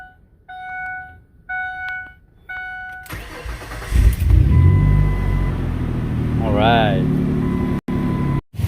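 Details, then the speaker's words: 2002–2005 Ford Explorer 4.0 after starter replacement: a few chimes, the starter spins briefly, and the engine catches cleanly into a steady idle; new starter works and the alternator gives 14.5 V running, but the battery is junk. "the vehicle is running starter what's the problem"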